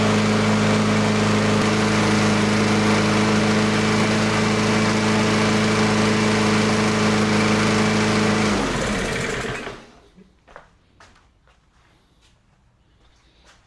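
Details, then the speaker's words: Toro Recycler mower, Briggs & Stratton 163cc engine, after ChatGPT-guided repair of an oil leak, a knock and hard starting: smooth, even single-cylinder drone with steady pitch, knock gone, clean shutdown; normal running. "All right, she started up really, really good and the knocking sound went away."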